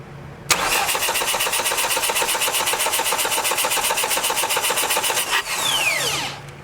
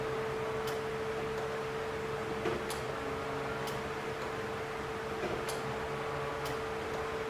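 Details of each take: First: 1989 Dodge Daytona ES salvage-yard car, throttle-body injection: steady fast starter cranking about four beats a second for five seconds, never catches; fuel seen pouring in at the throttle body, injector suspected stuck open and flooding it. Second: 1989 Dodge Daytona ES salvage-yard car: faint steady mid-pitch hum under light ticks as key is cycled on and off to prime; electric fuel pump priming normally before first start attempt.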